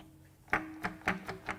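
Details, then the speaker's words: 2013 Hyundai Genesis Coupe 2.0 turbo Theta II G4KF, all-aluminum four-cylinder, blown engine turned by hand with plugs out: loose, hollow clunks every quarter second and tight to turn; rod knock, likely spun rod bearings. "Yep, something's loose in there. You hear it right there. It's like a percussion outfit inside."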